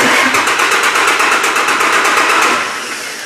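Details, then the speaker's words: Vehicle cranking after cleaning a bad battery cable connection found by voltage-drop test: strong, even cranking beats about six per second, no slowing; cranks much better than before; normal cranking. "I don't know if you guys can tell but the engine cranks much much better all from just one cruddy connection"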